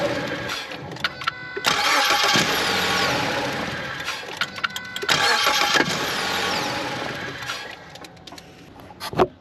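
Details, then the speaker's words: 2014 Ford Escape 1.6 L, intermittent noise during cranking and start-up, still present with the serpentine belt removed. Uneven metallic rattling bursts with each crank. The noise is internal, behind the front timing cover near the tensioner area; failing cam phasers are suspected. "all right so even with the belt off this vehicle is still making that noise so that leads me to conclude that that noise is an internal engine issue"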